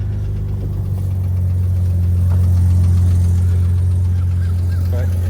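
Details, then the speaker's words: 1991 BMW 850i E31, still cold, at idle: steady deep idle with faint quick ticking on top around 220 per minute; top-end tick, lifters suspected. "you can probably also hear it's got some top end tick. These are not unknown to have some issues with the lifters."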